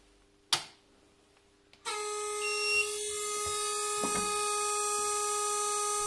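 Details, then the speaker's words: Cheap 3D printer cooling fan on startup: loud, steady, shrill whine from a dry bearing that fades after about two minutes; airflow reduced; fixed by lubricating the fan bearing, replacement when it fails for good. "everybody mr. chips 3d printer knows what the sound means time to replace your fan or you just like me and you don't care because after like two minutes it stops"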